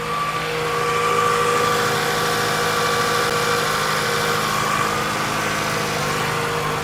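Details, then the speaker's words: 2002 Toyota Camry 2.4 after engine replacement, first start: smooth even idle, steady hum, no knocks, ticks or misses; light smoke from grease on exhaust is normal. "sounds good things will be smoking a little because of grease and stuff getting on the exhaust and all that stuff that's normal that will burn off and go away"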